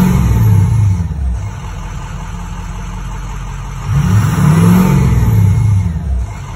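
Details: 6.0 Powerstroke diesel with a faulty ICP sensor; starter had randomly engaged until add-on wiring was unplugged; deep, even rumble rising with throttle blips and settling back smoothly, no starter clash; normal running.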